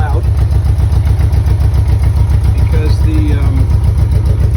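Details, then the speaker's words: 1984 Honda Goldwing Aspencade, started cold on choke in neutral, with a loud modified exhaust. Uneven, lumpy idle with only three cylinders firing: one exhaust pipe stays ice-cold while the rear pipe warms. The cause is not yet found. "this is the rear pipe starting to get warm yep and this one is ice so that cylinder she's now running and that's the issue that i'm gonna have to get out now you had a chance to see it running definitely on three cylinders as you can hear"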